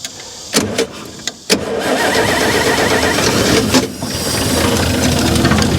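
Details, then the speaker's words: 1955 GMC 350 grain truck being started by pouring fuel in and cranking with a screwdriver on the starter: it cranks in bursts, catches and runs roughly for a couple of seconds, then sags. Too much fuel has flooded the engine. "all right damn it i drowned it is what i did"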